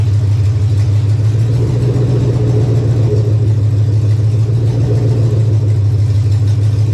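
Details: 1999 Chevy regular-cab short-bed 4WD pickup with a 5.3 V8, a junk donor truck of unknown condition, run to test it: an even, deep V8 rumble holds steady with no knocks, misses or stumbles. The engine runs healthy.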